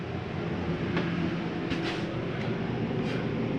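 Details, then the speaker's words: 2019 Grand Design Reflection 315RLTS roof air conditioner started from thermostat, inside about 49 degrees: steady even low hum with constant airy rush, no knocks or rattles; normal running. "Over here's your thermostat. Let's turn on your AC. You hear that running?"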